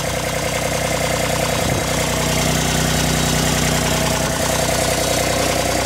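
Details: Kubota RTV1140 with D1105 diesel, first start after replacing water pump with failed shaft seal, radiator cap open: steady, even diesel idle with regular beat, no knocks, misses or hunting; engine running healthy.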